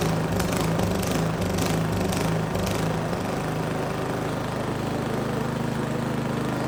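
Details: Neglected Craftsman snow blower 247.889571, start at about half throttle, primed, choke off: small single-cylinder pulses and hunts unevenly for a few seconds, then steadier beat; needed some choke to smooth out.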